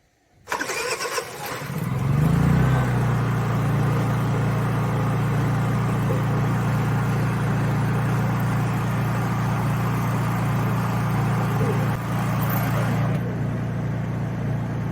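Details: Honda EU3000is generator/inverter after carburetor cleaning and reassembly: the engine catches after brief cranking, then settles into a steady, even hum with no surging or hunting; it runs smoothly.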